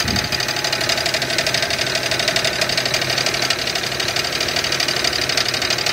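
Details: 2001 car at idle: light ticking knock roughly three per second over a hissy background, sounds pretty bad; owner fears internal damage but isn't sure it's the engine. Engine knock, cause unconfirmed.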